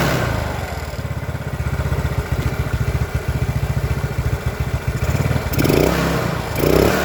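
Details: Old Yamaha Mio with new carburetor and size 38 jet, after fixing stalling: even quick putter at idle, then picks up cleanly on throttle with no stutter; normal running and revving.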